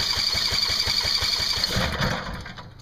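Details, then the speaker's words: Coleman Powermate 5000 W generator with newly added electric start, powered by a jumper battery on a test run: a steady starter chug about four times a second, then it blurs and fades as the engine seems to catch. Long cranking before start. "so that's a good example if uh why I would do it this way instead of doing it by hand"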